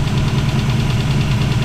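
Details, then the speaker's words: V8 with Aces EFI and aftermarket roller rockers, just started and quieter than before; owner thinks the rockers may be loose. Fast, even sewing-machine ticking over a steady idle is normal roller-rocker chatter. "But like I said, aftermarket roller rockers are loud anyway. It sounds like a sewing machine, just like Black Sunshine is."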